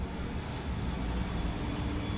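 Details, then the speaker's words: Saab 99 electric fuel pump after a relay bypass mod with new wiring, reading 12 volts at key-on: a steady low hum running evenly with no surging or stutter; the pump is running normally. "And you can hear the fuel even run healthy all the way to the front of the car."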